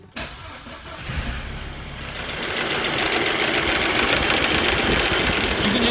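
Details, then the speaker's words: Audi/VW 1.8T engine, start then idle: busy metallic rattle about three to four a second as the fairly new tensioner shakes excessively on a stretched serpentine belt; fix is a new belt; serpentine belt tensioner rattle. "see how much that tensioner is shaking it's not supposed to move that much"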